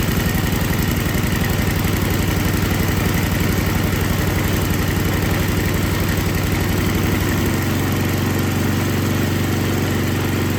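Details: Older MTD Yard Machines snow blower with Tecumseh 5 hp engine that would not start, after carburetor was put back together and gasket found falling apart; chugging evenly, then settling to a steadier slightly slower beat without misses, normal running.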